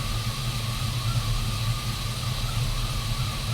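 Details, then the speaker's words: Sierra with 4.3-to-5.3 V8 swap, brand-new alternator reading about 14.3 V at idle: steady high whine holding one pitch over smooth idle; owner suspects a bad alternator bearing and plans to swap in the stock alternator. "that seems about right sure is noisy though yeah we're getting a good reading there so i just don't like how loud it is can you guys hear that sounds to me like something's up there"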